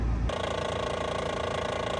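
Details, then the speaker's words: Ford Transit camper diesel, at idle in the Arctic winter, with both battery chargers loading the alternator: steady rough, fast pulsing rattle. The tensioner was seen dancing; the alternator clutch pulley is suspected, not confirmed. Fine just above idle. "So it seems to be when there's a little, I don't know, idle there with the alternator working hard with both battery chargers on, it's too much."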